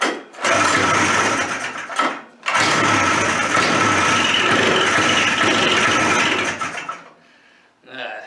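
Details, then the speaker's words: Suzuki Fury two-stroke snowmobile engine, sat for years with suspected ignition problems, old CDI wired back in: it catches on half choke, sputters in uneven bursts, then falters and dies; rough running, ignition fault suspected but not confirmed. "that's starting off dismal really all right well we wired in the old PDI which seemed to work before but just as bad"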